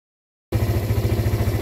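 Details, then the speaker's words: Suzuki Thunder 125 brought in as a no-start case, left idling about two hours to see if it dies: silence, then steady low idle thumping with no misses; still running and not stalling, normal idle. "mga bro so Welcome back tayo umaandar pa rin yung motor problema hindi naman namamatay Aya na mamatay mga bro"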